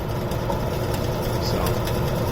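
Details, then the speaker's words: Rebuilt warehouse exhaust fan, new bearings, pulley adjusted to draw 4.2 A (4.6 A max): steady whoosh and low hum, no grinding or bearing rumble, slight blade wobble — normal running, quieter. "bit of a wiggle and a shake but at least it's quiet quieter"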